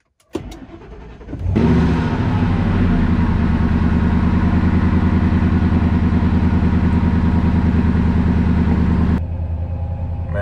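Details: 2003 Ford F-150 Harley-Davidson edition V8 after an SCT BA2600 MAF install and ECM tune, with intake air at 54 degrees: short crank, catches quickly, then a smooth, even idle with a deep burble. MAF counts are fine and there is no check-engine light.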